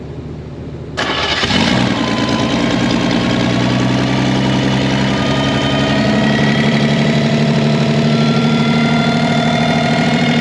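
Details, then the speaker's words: Revived Chevy inline six (230 or 250, uncertain) with rusted cylinders and stuck valves, strapped down: it catches after a cough into an uneven, lumpy run with a loose, fluttering rhythm as it floats the valves. "well it runs she floats the valves but it runs"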